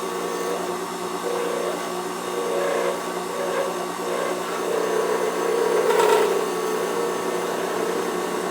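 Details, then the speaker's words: Wood lathe turning an acrylic bullet pen blank, tripod on the lathe table picking up vibration; even whirring spin with a light cutting hiss, earlier vibration gone because the blank is now round and turning smoothly. "you can hear that you don't have near the vibration that we had earlier um that's because the blank is becoming uh round"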